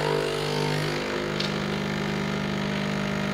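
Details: Nespresso U coffee machine after replacing dried-out pulse dampener O-rings, brewing a small cup: steady low buzz settles into an even unchanging hum; pump runs normally, coffee comes out and no leak.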